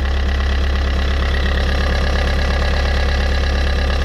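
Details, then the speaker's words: Fiat 500 petrol engine idling with the alternator belt removed: steady low hum with even pulse and no scraping; with the belt fitted it scraped, pointing to the alternator. "c'était flagrant quoi avec le avec la courroie sa grattait et sans la courroie il ya plus de bruit"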